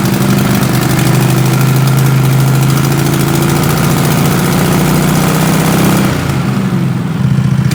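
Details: 20 HP Tecumseh twin-cylinder racing mower engine with dual 34mm PVK carbs, needle at middle position three, warmed up: an even, steady idle with no misses or surging. Runs smooth at 1,700 RPM.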